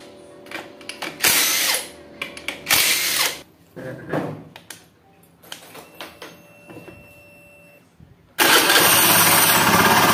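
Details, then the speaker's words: Honda Beat FI scooter engine runs loud and rough with a throbbing, helicopter-like whir, worse when revved; typical of a worn left crankshaft bearing. "Kalau suara seperti ini biasanya itu krek as ya, klaker. Jadi bearing yang sebelah kiri itu biasanya aus. Itu bunyinya ya kayak gini suaranya, kayak helikopter ya."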